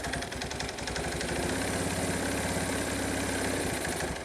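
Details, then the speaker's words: 1986 Kawasaki KLT185 three-wheeler, long-sitting, revived: single cylinder chugging at low idle, about three and a half beats a second, firing uneven; rough idle, owner suspects a worn-out carburetor or partially stuck choke. "yep carburator is probably shot but you know this just blows my mine man can't believe this thing is sitting here idling"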